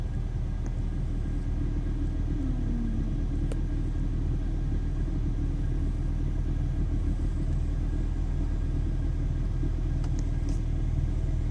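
Low, uneven idle rumble with a slightly irregular pulse after a cold start; rough running, cause not pinned down. Cause suspected, not confirmed.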